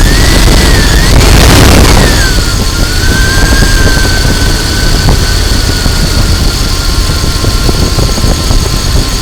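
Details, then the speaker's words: 2000 Dodge Durango 5.9L V8 after ignition coil replacement for a no-start: cranks briefly and catches on the first try with a rev flare, then settles into a steady, even idle. Healthy. "Okay, here we are. We started on the first try."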